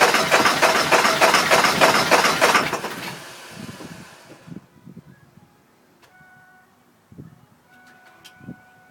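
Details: 2000 Ford F250 7.3 diesel, 208k miles, everything under the valve covers new except the injectors, new cam position sensor: about three seconds of fast, even cranking that dies away without firing; crank, no start, owner suspects injectors.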